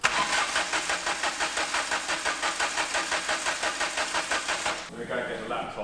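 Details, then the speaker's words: Mk2 Ford Fiesta sleeper, start attempt after downpipe and screamer pipe fitted: starter cranks steadily at about three compression pulses a second for five seconds and never catches; no fuel pressure despite fuel in tank. "Uh yeah, just crank it. Get the pumps to go. Crank it. There ain't no fuel pressure."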